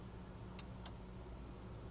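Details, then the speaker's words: VW/Audi dashboard: hazard relay ticks in on-off pairs over idle without indicators flashing, caused by an internally shorted turn signal switch, not the hazard switch. "see it's ticking what's actually wrong is this turn signal switch is shorted into internally and it's taking the hazard switch out but it's not the turn it's not the hazard switch that's faulty"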